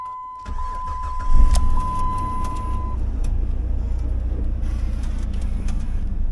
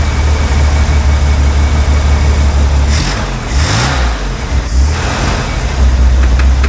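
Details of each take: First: Jeep after the SKIM immobilizer module was deleted and disconnected at the dash: short crank catches at once and settles into a steady, even idle under a brief warning chime; a normal start. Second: 60-year-old Corvair that sat in a field 20 years, running on old stale gas: steady low drone, then stumbles and hunts as it runs out of fuel; either the fuel pump isn't pumping or the fuel line is blocked.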